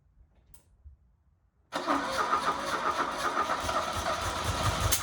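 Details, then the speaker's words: 1977 Fiat 124 Spider barn find, sat nearly 25 years, first start after the bad starter was fixed, running on a squirt of gas with no fuel in the lines: cranks, catches after a second and a half, then idles unevenly with wavering speed, stumbling, barely running. "Holy crap. Holy crap, it's running. Barely."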